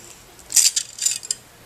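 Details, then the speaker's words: Glass scored in a gentle curve, flipped score-side down on a breaking mat and pressed gently from the back: a couple of sharp, bright snaps and a light tinkle as it pops apart cleanly right along the score line. "that popped apart very nicely for me right on my score line"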